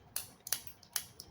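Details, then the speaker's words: 1995 BMW 325i (E36) automatic transmission solenoid, bench-tested with leads: light, sharp clicks, about five in 1.5 seconds; this one's action is weaker than the other solenoid tested. Cause suspected, not confirmed. "but it is not as strong as an of an action as the other one"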